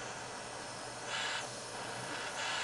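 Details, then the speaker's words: Sievert jeweller's gas torch: steady hiss that twice swells louder, then settles to a softer rush as fingers cover the air intake holes. Restricting air gives a softer, cooler flame; the loud hiss is the hot flame. "now if I put my finger over these holes that flame will get softer you can actually hear the difference that hissing is quite a hot hot heat and if I put my fingers over the holes I restrict the amount of oxygen or the amount of air coming"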